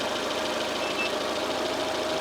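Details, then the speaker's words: Rover 216i cabriolet, 1.6 Honda DOHC petrol, warm idle, radiator about 75, engine inlet hose 57–60, cap off without boiling: smooth constant hum, no hunting, ticks or knocks; owner suspects faulty gauge/sensor; normal idle. "if I took this off it would just start to boil nothing happens the engine is running completely fine"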